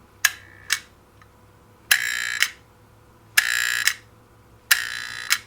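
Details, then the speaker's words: NuTone 478 apartment intercom door release after reinstalling the diode, held right at the microphone: four short buzzes, each opened and closed by a crisp click, quick with only slight buzz instead of the earlier rattle; works properly. "now it went quick and there was a little bit of a buzz not as much as a rattle as before just a little bit"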